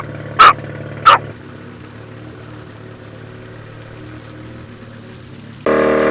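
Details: Rotary-engined Nissan S15 on a Link ECU after retuning the idle cells and the TPS-based transition table: low, even idle holds steady, then picks up cleanly on throttle; idle lower, stable and responsive.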